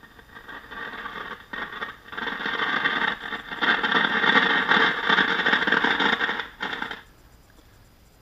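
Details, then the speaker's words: RCA 8-X-541 tube radio after recapping and replacing out-of-tolerance resistors: loud irregular crackling and rushing hiss regardless of dial position, cutting out near the end; cause undisclosed. "right you guys have any idea what that's coming from so again you can hear the crackling regardless of where I tune the dial"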